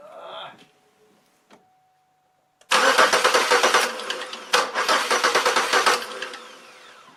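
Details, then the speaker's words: Chevrolet Malibu cranks but won't start after crank sensor cleaning: about three seconds of quick, even churning, stops, cranks again, never fires. No spark, fuel present; crank sensor suspected, unconfirmed. "let's see if it'll start and go from there missions she's not starting again I clean that out could be a crate could be a crank"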